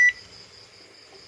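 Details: Panasonic washing machine (about 6–7 kg) that wouldn't power on, after board repair with new power supply and jumper points: single short clean high beep on pressing Start, then quiet; board powers up and responds normally.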